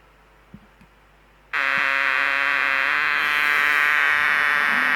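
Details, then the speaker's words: Homemade LM386 micro amplifier on 9 V battery (measuring 7.9 V): quiet, then sudden steady high buzzing hiss with a thin tone; noise persists as on bench supply. Fixed by adding a 10 µF supply filter capacitor. "Cuman ini, oke, ini kayaknya noise ya."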